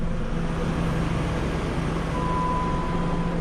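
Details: 2005 Dodge Dakota 3.7L V6 idling with a steady, even low rumble and no misses or knocks, after fuel pump replacement and cycling the key three times before starting.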